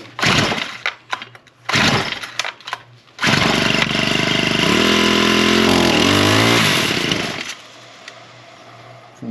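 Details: Small engine, primed and started on choke then half choke with throttle; a few sputters, then catches, revs smoothly, holds a clean steady buzz and drops to idle; bad gasoline still suspected (trash seen in fuel). Normal running.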